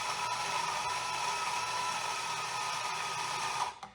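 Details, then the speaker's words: Espresso coffee grinder at a grind setting far too fine: steady strained motor whine, then a quick stop, as it labours and barely grinds anything; grind is changed to setting three. "because you can kind of hear that the grinder is kind of working really hard and it's not grinding anything out"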